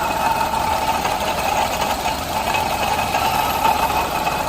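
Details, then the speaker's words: Suzuki Alto 800 with noisy engine, stethoscope on alternator: smooth even whir and soft steady hum, no grinding or rattle. Alternator normal; noise later traced to water pump, confirmed by removing its belt. "Kasi, yung ginamitan natin stethoscope, yung alternator, wala doon yung ingay. Kundi, nandito sa water pump."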